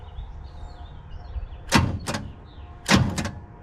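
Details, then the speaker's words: 1986 Chevy C10 with 305, suspected thrown rod, plugs still in: two short heavy clunks from the starter with no cranking rhythm, engine only budges; owner suspects hydrolock. "I mean it's just kind of budging but not much it acts just like the mossy blue truck when it was hydrolocked"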